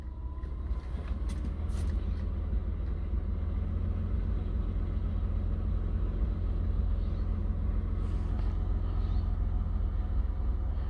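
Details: 2003 Mitsubishi Eclipse GTS idling in neutral just after mass airflow sensor replacement for code P0102; earlier rpm surged up and down and it lunged as if about to stall while driving, now steady even idle without hunting; normal idle.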